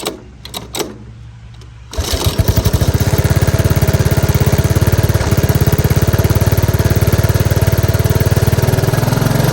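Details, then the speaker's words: 1983 Honda ATC 185S single-cylinder during carburetor screw adjustment: fires up and thumps at fairly steady, slightly uneven beat, then dies; owner says it ran out of gas again, fuel starvation suspected. "yeah it just keeps running out of gas adjust it out a little bit more and it just ran out of gas again"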